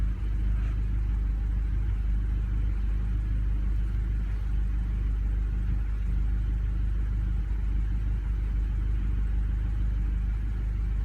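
A petrol engine idles with a deep rumble and an uneven, stumbling beat that points to a misfire.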